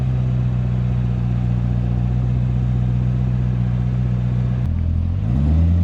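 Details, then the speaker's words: Corvette ZR1 (C7) after a wheel-noise issue, full-lock turning in a parking lot; smooth, steady engine hum with no clicking or popping from the wheels, owner warns it could be temporary; normal wheel hub. "so yeah it doesn't seem like it's making any noise now this could be temporary i will let you guys know for sure but thanks to my wonderful beautiful camera person here for holding the camera while i was full lock turning in a parking lot here"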